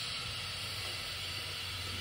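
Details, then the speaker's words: 2015 Polaris Ranger 900 XP, engine a little warm, 8 mm coolant bleed screw at the back of the cylinder head loosened; a steady soft hiss as trapped air escapes before coolant follows, during coolant temperature sensor replacement. "we're just going to let this bleed and until coolant comes out maybe you can hear it there's air coming out right now"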